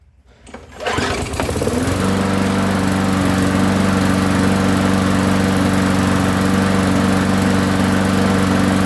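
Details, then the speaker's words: Roadside-found push mower that sat a very long time, after some work including new gasket, oil full, primed; catches on the pull within a second and settles into a steady, even drone with no misses; runs properly. "forgot to start filming so it does run"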